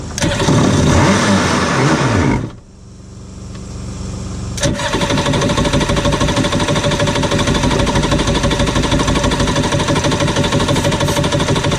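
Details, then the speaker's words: Cheap used Yamaha WaveRunner two-stroke on new mixed gas, after the fuel valve was switched from off to on: short crank, then a steady, even burble with no misses; idling normally. "you know what she runs all right"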